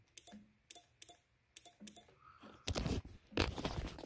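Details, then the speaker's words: 2011 Triumph Daytona 675R, clutch in, pressing start: short sharp clicks with no cranking; looks like starter relay/solenoid but cause was a blown 15 A headlight fuse, headlights also dead. "guys hear that a little click okay let's think about this for a second we could jump it started relay a lot of people would think that's bad"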